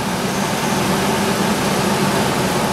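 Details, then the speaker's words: IAC valve test using a bi-directional scan tool, IAC commanded down to 50%: smooth, steady idle with a constant hum and no hunting or surging; engine responds quickly and smoothly; normal idle. "know the engine responds very quickly smoothly I'm going to go back to 40"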